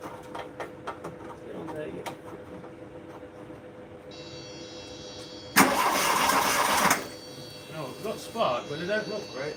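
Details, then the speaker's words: Mk1 VW Golf with key on, a short burst of cranking of about a second that catches faintly but never fires up; cranks but won't start. "It sounds like that's trying to start then to be fair. See if it start. It sound like that was trying to start then."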